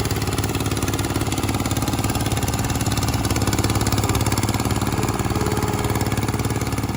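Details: Restored 1968 Bolens Husky 775 hydrostatic garden tractor with swapped Hatz 1B30 single-cylinder diesel, mowing: steady even diesel clatter holding pace, no stumbles or knocks; normal running under load.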